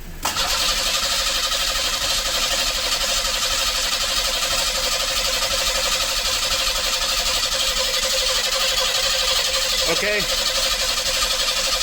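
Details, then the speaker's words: 1986 Pontiac Fiero GT, old and long-sitting, cranked by starter with fuel pressure tester on the Schrader valve: steady starter whir that never fires; crank no start, tester shows no fuel pressure, cause not yet known. "and still nothing so now i know that i don't have fuel pressure and that could be a bunch of different things"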